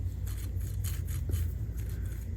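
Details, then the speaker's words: Late-1940s Delta Rockwell 1460 wood lathe, bearing removed and spun by hand: slightly gritty, uneven rustle with scratchy bursts. The ball bearings are a little grumbly though maybe still usable, and replacements were ordered. "listen to this it's not too bad but it's uh they have they're a little bit grumbly you hear that"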